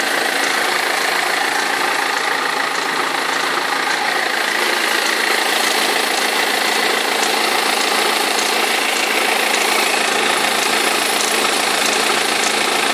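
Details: 2003 BMW E46 320d diesel idling with steady clattering rattle from front; perished crankshaft pulley vibration damper knocking and rattling, both belts eventually fell off.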